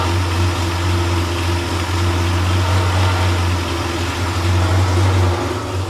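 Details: Freshly rebuilt Porsche 911 air-cooled 3.0SC flat-six built to 3.2 short-stroke specs, on a test stand warming up after cold start: deep, steady idle with even beat, no stumbles or knocks, idle expected to rise to mid-900s rpm; normal warm-up.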